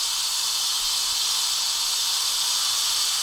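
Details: WMF pressure cooker releasing pressure through its valve: steady, even, high-pitched hiss with no rumble or sputter; venting cleanly as it should.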